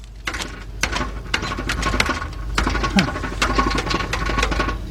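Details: 2004 Nissan Maxima, noise underneath front, suspension and steering checked good, rotted loose part found: sharp metallic rattles in bursts as the pipe is struck; exhaust rattle suspected farther back, not confirmed.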